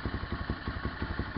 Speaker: This is gonna be my first start. Of my SSR 125 with the new CDI box. I could already hear that the idle speed went up, and I'm happy that it works.